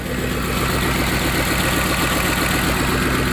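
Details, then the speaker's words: Ford F-150 4.6 V8 just after a cold start, idling with nearly every warning light on and timing codes set. It idles with a steady, even low rumble, no rattle and no knocks, a good-sounding engine despite its timing issues. "all right so we'll let it run for five minutes or so good sounding engine is just it's got some weird timing issues with it"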